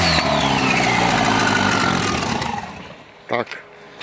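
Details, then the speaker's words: Škoda project engine with no exhaust, very low fuel, just fixed by replacing a faulty fuel pressure regulator; it runs briefly, then the note sags and dies within seconds as the pump draws air from the tank; stall from fuel starvation. "a nám zdochlo, pretože nám chytilo vzduch z nádrže a nechcem to tu veľmi turovať, keďže je sobota a ľuďom to veľmi vadí bez výfuku."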